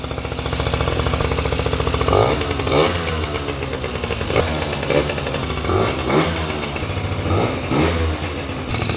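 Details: Honda Dio two-stroke scooter, first start after cleaning crankcase flooded by an internal oil pump leak that stopped it starting: buzzes evenly and climbs cleanly through several throttle blips, smooth with no misfire or knock.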